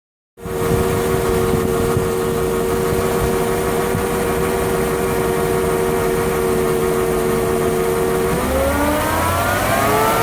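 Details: Lexus LS400 engine: a steady mid-pitched whine at idle, also very audible in the cabin, rises in pitch with revs. Owner suspects the alternator, possibly bad diodes; not confirmed.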